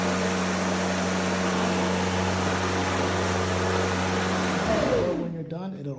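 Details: Ryobi 40V brushless 20-inch cordless self-propelled mower, newly assembled, blades engaged: steady, even motor hum with a smooth blade whir, winding down cleanly and stopping automatically once the lever drops; healthy.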